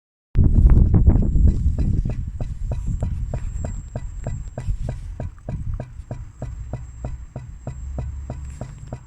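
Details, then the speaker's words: BMW E60 520d diesel with the engine off makes a steady ticking, about three a second, over a low hum from under the inlet manifold; the cause is unknown. "strange noise on the inlet manifold. Engine is off."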